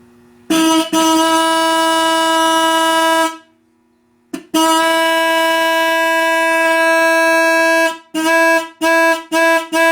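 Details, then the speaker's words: 1964 Dodge Polara 500, long-lost low-note horn found and test-fired: a loud, clean low note in two long blasts then four quick toots; working. "Oh, no. Don't tell me. All right. It almost sounds like the Roadrunner horn, don't it? It does."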